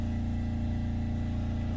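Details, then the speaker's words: Diesel generator on a boat under light load from the AC, with the battery charger pushing voltage to 13.1: smooth, steady low drone with no misses or knocks; generator runs normally. "Oh, there's the AC kicking on. Looks like it's stable."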